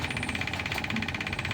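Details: Camel stand fan that won't oscillate: fast, even clicking clatter over fan hum, rotation starting then stopping, from a worn, grooved oscillation gear slipping.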